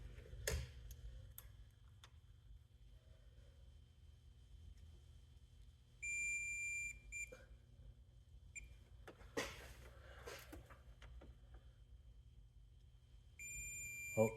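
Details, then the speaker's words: 2018 Subaru Impreza with codes P0011 and P000A, removed solenoid tested on the bench: crisp single clicks a few seconds apart with short electronic beeps. It now actuates properly; it had been clogged and rattled when shaken. "දැක්කනේ guys දැන් මේක වැඩ කරනවා."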